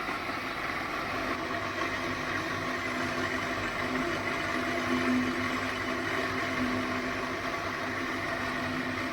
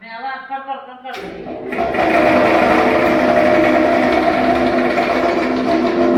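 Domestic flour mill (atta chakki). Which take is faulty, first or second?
second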